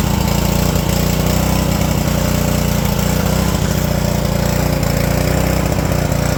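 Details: Ryobi pressure washer with GCV160 engine, 3000 psi, after a carb clean to fix a no-start from sitting over a year with bad fuel: even single-cylinder putter at steady speed, no surging or stumbling; runs cleanly after the repair.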